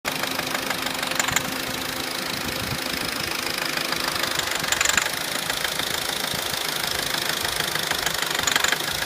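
Even idle with a fast light tapping rattle throughout and a few sharper clicks every few seconds; top-end tapping, source unknown.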